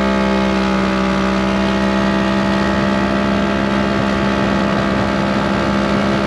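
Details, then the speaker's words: KRX1000 on a full-speed run at El Mirage aiming for 100 mph, falling short: loud steady high-speed drone held flat with no pitch climb as power drops; air-fuel ratio looked good; crew heard it breaking up, suspects the tune, cause unconfirmed. "for us standing by the cameras we actually kind of could hear it kind of breaking up a little bit so maybe the tune is not good or maybe we heard something we don't really know"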